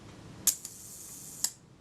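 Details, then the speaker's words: Kodak Retina IIIS shutter during service, self-timer gear train adjusted, first test: sharp click, fine whirring run of about a second, then the shutter snaps; smooth healthy timer run. "sounds very satisfactory as a pro a first attempt"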